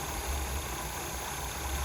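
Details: Abandoned 1977 Pontiac Grand Prix V8 with carburetor, first run after sitting, idle turned up: steady low rumble under some hiss, no misses or knocks; engine runs evenly; normal idle.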